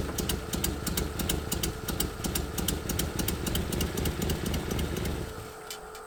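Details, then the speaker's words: 1981 Nissan 280ZX straight-six, unrun for about 15 years, running weak and uneven with ticking and sputter for about five seconds, then stalling; owner suspects distributor timing or a weak electric fuel pump. Rough running. "i think it's the timing the distributor if something's not right with it i'll just put it that way a little run but for just a couple seconds and then it stalls"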